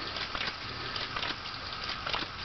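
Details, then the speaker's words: WarP 9 electric motor from Dodge Daytona EV, tail shaft turned by hand: irregular gritty crunches and crackles, not too bad; loose debris inside, possibly broken brush pieces or balancing clay, motor spins reasonably freely. "so what we're going to do is spin the motor just by hand now that we can really get some more torque on then just try to spin the tail shaft so so as you can hear there are bad crunching noises but it's not too bad"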